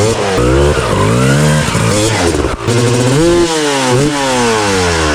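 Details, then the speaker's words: Rebuilt 2000 Honda CR250R two-stroke with a full FMF exhaust: crisp crackle, revving up and down through the gears with clean, sharp throttle response. Healthy, normal running. "You hear the thunder? We woke Mother Nature up, baby."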